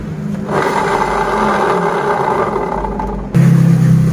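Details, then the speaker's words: Honda Beat DX 2020-2021 scooter, engine off, rear wheel turned by hand with CVT cover removed: coarse gritty srok-srok whirring and scraping from the CVT, judged 90% a worn pulley bearing. Worn pulley bearing. "Baik, di sini sudah mengalami bunyi kasar seperti bunyi srok-srok bunyinya ya teman-teman. Pada bagian CVT pada saat roda belakang diputar, sepeda motor off ya."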